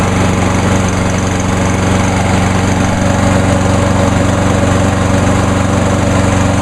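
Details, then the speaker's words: Pull-start mower engine, warm after running about two hours earlier, on a 93°F day after VP Small Engine Fix-It fuel treatment: strong, even drone at steady speed with no surging or missing; runs much better. "and as you can hear it runs a whole lot better runs just almost as good as the uh 10606"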